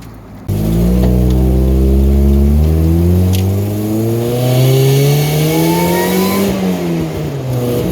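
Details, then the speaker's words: 1990 Mazda Miata 1.6 with Jackson Racing M45 supercharger, about 5-6 psi boost, one-gear pull at light to full throttle: revs climb and a thin whine rises with speed; healthy supercharger on boost. "So light throttle, right throttle, full throttle. Oh yeah, you can hear that whine when we go under boost. Love it."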